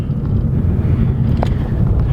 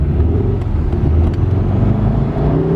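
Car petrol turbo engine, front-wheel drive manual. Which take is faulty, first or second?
second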